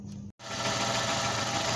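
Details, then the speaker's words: Suzuki Esteem/Baleno engine started after replacing the PCV valve: after brief silence a steady, even idle with no knocks, misses or ticks; normal idle. "Bien amigos, vemos que el motor está funcionando muy bien, tiene un buen sonido."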